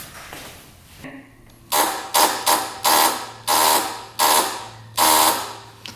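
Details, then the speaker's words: 2001 Polaris Xplorer 250 4x4 two-stroke ATV with a seized engine: each start-button press gives a short harsh electrical buzz, but the starter gear doesn't move and the engine doesn't crank. Starter not engaging. "That starter is not doing anything with this. I don't see that gear moving at all."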